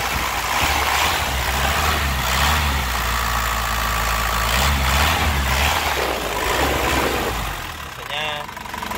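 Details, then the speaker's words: 2004 Isuzu Panther LS Black Panther diesel, warm after driving: even, crisp idle clatter at about four beats a second, calm and not stumbling, with no smoke seen; the engine is judged healthy. "Saat siunannya juga enak, suaranya renyah, mesinnya juga tenang, tidak pincang, ya. Jadi tandanya mesinnya itu insyaallah sehat."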